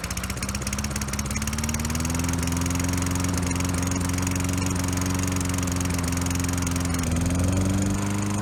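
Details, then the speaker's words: Free roadside Toro Recycler mower (model 20016), smoky with oil in exhaust, small engine pops unevenly, pitch surging then sagging; runs only with intake covered to force more fuel, lean running from clogged carburetor main jet, carb needs cleaning. "Okay, so now we know the engine's good, and the carburetor is not very good. It would only run if I covered the intake to kind of force more fuel into it."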